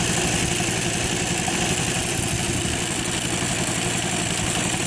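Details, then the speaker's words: Suzuki FA50 two-stroke revved up: a rough, fast, uneven chatter with heavy vibration. It is fine at idle and vibrates hard once the transmission engages; the owner suspects the transmission gearing. The engine is not hot and has oil. "sounds like it's coming from the transmission for the gearing here but it's really vibrating pretty tough"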